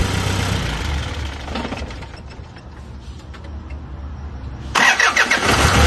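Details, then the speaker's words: Isuzu 4HL1 turbo diesel with intermittent no-start and a trouble code when accelerated, after fitting two sensors: after revving it catches first crank and settles into steady idle; now starts cleanly. "So ngayon is kahit anong revolution revolution mo so aandar na siya mga boss."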